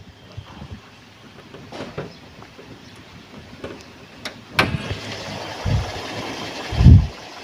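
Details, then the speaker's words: 1997 Toyota Kijang LGX, engine idling under the open hood: quiet, even idle hum with a few handling knocks, no ticking or knocking and no signs of worn piston rings or bearings; engine sounds smooth and healthy. "memang mesinnya suara langsamnya masih halus masih enak enggak ada ciri-ciri dia itu seher kena ring seher atau metal itu udah kena ini suaranya masih halus banget masih oke"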